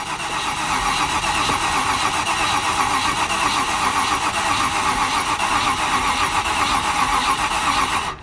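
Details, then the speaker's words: Range Rover Classic LSE soft dash being revived, second start attempt after confirming good spark: engine catches and runs roughly for several seconds, then cuts out; it fires but won't keep running, and the battery is suspected low on charge. "Come off, Chris, and then try it instantly again. It seemed like it fired every time you just first tried it."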